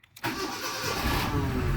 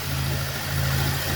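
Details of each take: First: Cold engine, first start: engine catches toward idle with quick knocking right after start; main bearing knock until oil pressure comes up, then it stops and the engine runs smoothly. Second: Cold engine just after first start, bearing knock gone once oil pressure built: low, even idle hum with no knocks or misses; engine runs round and steady.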